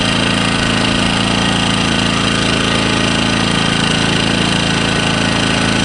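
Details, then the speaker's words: Engel 2500W inverter generator, first start-up after adding oil and fuel, running on eco mode; steady even drone with smooth low hum, no knocks or surging, much quieter than expected; normal running. "way quieter than I thought it would be that's on eco mode at the moment"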